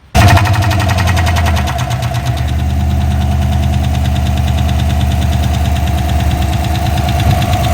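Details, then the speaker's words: GMC Sierra 1500 5.3 L83 V8 first start after ZR1 Corvette cam swap, AFM/DOD deleted, new lifters and pushrods, untuned: deep even idle with slightly choppy lope, no knocks or misses; oil pressure and battery voltage good. "sounds fine yeah sounds a little different see oil pressure battery voltage everything's good sweet she running again"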